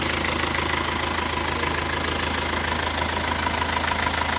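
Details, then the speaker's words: Diesel just rebuilt with new rings, liners, block repair and seals, valve clearances not yet re-set: idling with light regular ticking about three per second over clatter; valve ticking from unadjusted valve clearance. "ini belum sety clep juga ya belum set clep lagi k clubnya tadi sudah tapi ini belum di-setting ulang jadi ini masih perlu setting-setting ulang lagi"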